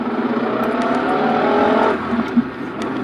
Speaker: if you hear that noise, that is the clutch and the throwout bearing. That's what's causing the really loud, disgusting sound.